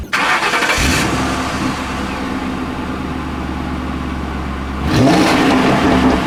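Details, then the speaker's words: 2009 Ford Crown Victoria Police Interceptor V8, 184,000 km and about 8,000 idle hours: cranks, catches quickly, settles into an even, steady low rumble with a brief clean rev; a smooth, healthy idle. "that definitely idles very smooth"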